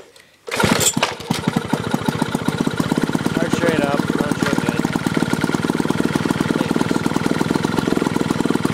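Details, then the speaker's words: Old two-stroke Clinton lawn mower engine removed from the mower, carburetor gone through: pull-start catches straight away, then crisp rapid even buzz with steady firing pulses and no misses; healthy. "this motor is actually really nice it's a two stroke runs really good"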